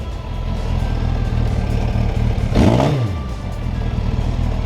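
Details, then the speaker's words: 2003 Suzuki GSF1200S Bandit inline-four, thoroughly warmed up, revved to full throttle; dull, soggy blare falling back; carbs running very rich, need cleaning. "Thoroughly warmed up revs up okay the winner give it full throttle you hear how rich it is"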